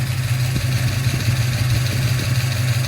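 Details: 1971 Ford Torino 351 Cleveland V8 idling just after a new 17-inch cooling fan was installed: even, deep idle rumble with a strong rush of fan air and no knocks or missed beats; running healthy.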